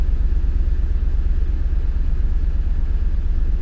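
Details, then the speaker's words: 2008 Ford Expedition Limited, about 235,000 miles, with engine issues, started after clearing codes: deep, thumping V8 idle with an uneven pulse and an odd noise; owner suspects a timing issue, no codes yet. Rough idle. "let's turn the engine on still running pretty pretty bad I don't know what that noise was could be a timing issue there's got to be a timing issue"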